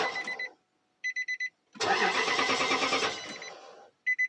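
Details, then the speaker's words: 2005 Nissan Titan crank, no start: chime beeps, then the starter cranks steadily for about two seconds without catching. The fuel pump primed, but the ignition fuse had been removed by mistake while swapping the radio fuse. "And come to find out, yeah, that I had taken out the ignition fuse, trying to replace it with the radio fuse, which is these two right here."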